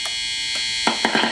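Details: Old BC Rich project guitar with humbucker and single-coil pickups on a CRL 5-way switch: a constant bright electric buzz under strummed notes when the humbucker is selected; hum from the wiring, resolved by wiring it properly.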